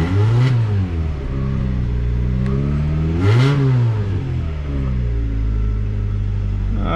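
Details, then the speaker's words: First-generation 1997–2001 Honda CR-V just after an engine swap, with a used airbox, intake and radiator. It ran like it had no compression, possibly flooded, then fired up when floored: loud revs settling to an even idle, no knocks, no check-engine lights, running smooth. "No check engine lights, and it's running pretty smooth."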